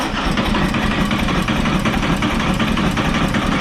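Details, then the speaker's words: 2021 Harley-Davidson Road Glide Limited at its first 1,000-mile oil change, held at full throttle while pressing start to prime oil: steady starter churning at nearly three pulses a second that never fires, then stops; intentional crank without firing. "Hold it full throttle, then press and hold the start button. What this will do is it'll crank your engine, but it won't fire it up."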